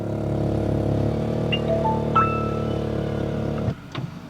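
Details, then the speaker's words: BMW X5 power steering column with welcome function, extending/retracting as the car is switched off: steady droning electric motor hum for about three and a half seconds then abrupt cutoff; owner says it's usually louder. "第二个异响就是方向盘伸缩异响了。咱们这方向盘不是带那个迎宾功能吗？就每次你一点火跟熄火，方向盘都会自己出来回去，对吧？"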